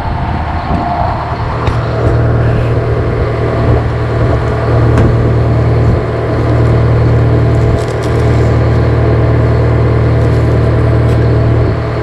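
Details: GM 4-71 two-stroke supercharged diesel, about 160 HP, probably 50–60 years old, Frick sawmill engine, warming up unloaded before a secondary fuel filter change: deep, even thrum with light steady clatter, no stumbling or hunting; normal idle.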